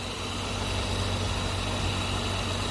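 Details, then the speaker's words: Radiator fan, which had started whistling in heat near 40°C and was rusty from water and engine washing, runs after removal and reassembly: smooth even whir over idle, no whistle or ticking. Slight play remains in the worn impeller hub. "поскольку нормально все нет посторонних шумов нормальный"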